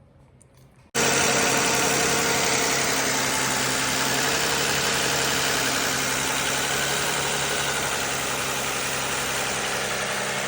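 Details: Toyota Aurion 2GR-FE after severe oil leak and engine-bay fire, started with engine flush oil added to clean sludge, checking for leaks: catches after brief crank, settles into smooth even idle with steady hum, no knocks or ticks; normal idle.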